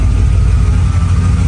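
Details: Mercedes W210 E55 after a manual swap to a Crossfire NSG370 6-speed: deep, even V8 idle with a steady low rumble and no clicks. The earlier unexplained clicking noise has gone; the engine sounds healthy.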